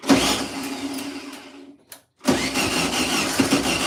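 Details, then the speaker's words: 1972 VW Beetle on its first start attempt after over 2 years sitting, running fuel of unknown type from a lawnmower can: uneven cranking bursts catch briefly then die, with pauses between tries; fuel isn't being pulled through, pointing to fuel starvation. "I need to pull that fuel through"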